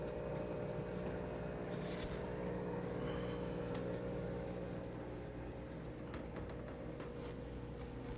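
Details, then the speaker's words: XpertMatic DB-366 aquarium air pump running at full airflow with two air stones in a 150 gallon tank, set on its supplied pad: quiet steady low hum with faint buzz, minimal vibration; normal running. "you see when i do that it becomes pretty much perfectly quiet you're not going to hear much much vibration maybe just a little bit like you would with any air pump but otherwise it's pretty quiet"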